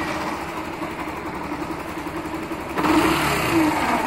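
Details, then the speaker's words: Factor 150 motorcycle idling with a terrible, harsh, uneven growl caused by a shorted stator; unplugging the stator changes the noise, and a small spark shows when it is reconnected. "Realmente esse tator Em Curto faz esse barulho terrível na moto tá"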